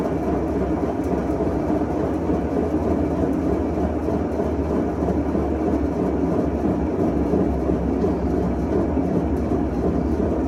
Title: 21355 - Leak in seal caused bad bearings / loudness during spin.